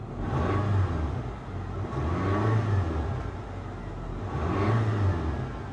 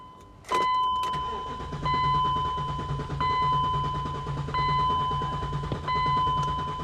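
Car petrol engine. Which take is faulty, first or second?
second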